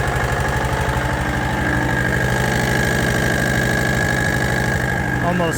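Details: John Deere AMT 622 small engine idling before testing Lucas additive: loud, steady knock under the exhaust beat, sounds like a rod knock but not confirmed; engine knock.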